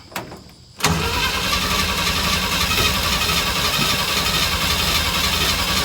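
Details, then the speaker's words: 1965 Chevy van, six-cylinder, sitting 50 years, choked with gas poured into the carburetor bowl: brief click, then steady rapid churning of about four beats a second as the starter spins the engine without catching; owner suspects flooding. "I see that hose jumping. I need to let it choke off. I don't know. Maybe I flooded it."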